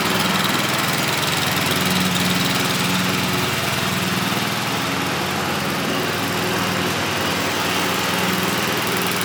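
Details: MTD Wizard 12 hp lawn tractor, free and revived, holds a steady, even drone at constant speed under load with no knocks, misses or squeals while driving and cutting; healthy, though owner notes low power and may check compression and valves.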